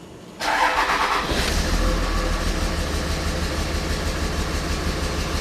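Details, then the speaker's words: 2006 Dodge Ram Cummins diesel with a long-crank slow-start fault: with the high-pressure fuel line to injector 1 removed and capped, it cranks briefly, catches within a second and settles into a slightly lumpy five-cylinder idle; injector 1 suspected faulty. "so I removed the high-pressure fuel line from injector number one and capped it off there it is now check this out it starts it'll run on five cylinders"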